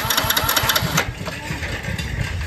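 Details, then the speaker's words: Motorcycle with regulator-rectifier removed and its two ground (body) wires joined, key on: starter whirs briefly with even pulses but no firing; grounded kill wires cut ignition, starts once regulator is reconnected. "দেখুন চাবি on আছে self March start হচ্ছে না"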